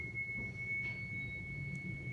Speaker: so I'm going to go ahead and turn the organ on and you will hear that cypher once the air starts flowing in